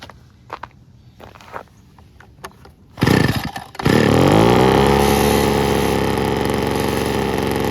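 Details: 1980s/90s McCulloch two-stroke gas leaf blower (Zama C1U-M21B carb) after a carb kit, new fuel and air filters, cold start, likely in the 30s°F: a few pulls, catches, buzzes high, then settles into a steady, even, chainsaw-like run.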